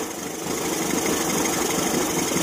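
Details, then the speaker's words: Evinrude 40 HP two-stroke outboard in a test tank after throttle synchronization, timing being adjusted toward the 750 ± 25 rpm idle spec at about 4 degrees. Steady, even idle with a fairly flat hiss and no misses or knocks: normal clean idle. "well speed should be 750 give or take 25 rpm so I'm gonna start it up play with the timing a little bit and see if we can't get it up pretty close to that"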